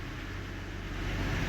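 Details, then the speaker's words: VW CrossFox front wheel spun with the half-shaft disconnected; a low rough rumble with visible play from the worn wheel bearing and hub, both to be replaced. "vendo essa folija aqui é do próprio rolamento ruim ó ó lá o rolamento já tem folga"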